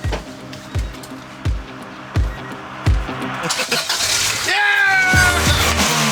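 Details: Acura Integra GSR after plugs, main fuse, distributor, battery and new exhaust were sorted and the tank refuelled: slow starter cranks about once every 0.7 seconds, then the engine catches and revs cleanly into a steady run; normal start.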